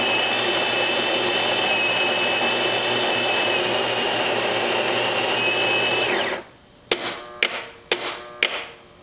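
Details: Saeco Vienna Plus, about six months old, brewing: high steady screech over the motor whir for about six seconds, then clunks; intermittent, persisted after cleaning and repair, cause unclear.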